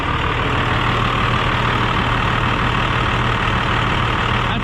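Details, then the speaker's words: 12-valve diesel truck idling with its new turbo replacing a VGT: low, even diesel clatter with a steady high turbo whistle on top; much louder than the VGT even with vanes fully open; healthy. "i really liked this turbo but even with the veins all the way open it was not quite near this loud like this is what i'm used to hearing the truck sound like"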